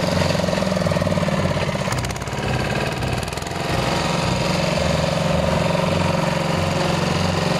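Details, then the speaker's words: IMT 509 two-wheel tractor, 14 hp single-cylinder diesel, rope-started after half a year unused: fires first pull, even steady thumping about three beats a second, no misses or knocks; running smoothly. "Evo ljudi, kao što ste vidjeli, znači malo smo ga provozili i evo ga vidite kao što ste vidjeli, znači pali iz prve, posle pola godine,"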